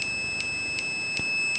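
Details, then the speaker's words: Lidl multimeter on the continuity test with the probe leads touched together and apart: high beeps chop on and off about two and a half times a second instead of one steady tone, a stuttering buzzer that does not respond immediately. "Ja, nur das mit den Durchfangspie ist ein bisschen reagiert nicht sofort durch die Kontakte zusammen auseinander zusammen."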